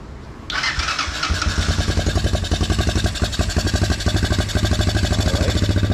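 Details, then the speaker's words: 1987 Honda ATC 125M single, first start after valve adjustment, carburetor set to factory specs, new coil, cap and plug, on choke, previously running rich: steady even thumping with a firm low beat, running much better with revs; normal running. "adding a lot better so i think the valve's definitely helped let's give her a few revs yep she's running a lot better"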